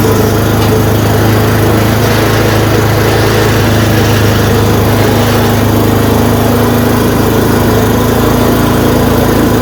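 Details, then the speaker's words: Yard Machine 826 snowblower, 8 hp 26 in, after new dual belt, first start once idle screw adjusted: single-cylinder engine at steady fast idle, even beat, no missing; runs healthy. "you have she's a runner had to mess with that screw that I told you I don't usually touch until I get him running it's just an idle screw so you heard the idles it reved up we're good"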